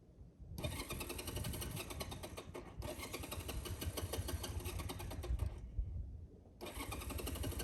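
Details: 1985 Honda Rebel on a mountain ride, hard starting after a tip-over: the engine cranks and catches in ragged bursts, dies, then stumbles back in and won't settle into a clean idle.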